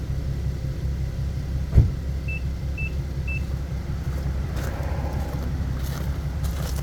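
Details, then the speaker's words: 2015 Nissan 370Z, rebuilt Copart car after front-end collision and frame repair, cold start in the shop: smooth, even low idle rumble with three short chirps, no knocks or misses; running good. "all right it's running good"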